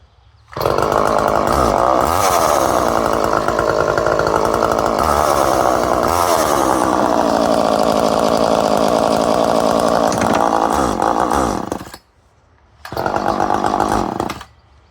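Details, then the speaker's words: Poulan 1800 Wood Shark two-stroke chainsaw, after carb mixture adjustment: a crisp, steady high buzz for about eleven seconds, then a short clean rev burst; runs smoothly. "Okay, back it out. Well, we got a runner, so that's it for the Will It Run."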